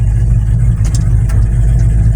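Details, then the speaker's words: 1963 Chevy C10 with 5.3 LS swap, cam, loud exhaust, HP Tuners tune, no surging or vacuum issues: revving gives deep, loud, throaty V8 rumble under throttle staying even; running fine. "Until you give it some gas. Yeah. Until you hear its rowdy nature in the exhaust note."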